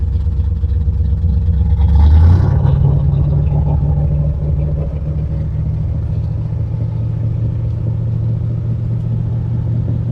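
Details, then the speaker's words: 1967 Corvette Stingray V8, first start after sitting decades, with no water pump: brief cranking, then steady, even, deep idle without knocks or ticks; healthy start. "we don't have a water pump hooked up so we're going to give her about 15-20 seconds and we'll shut it down wow that sounds good"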